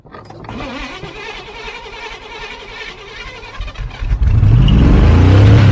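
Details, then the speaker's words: 1980 Camaro Z28 junkyard car V8 catches and settles into a fast, even high idle that never drops back; throttle is sticking and not returning. "Still really high. Still really high. See, it's sticking."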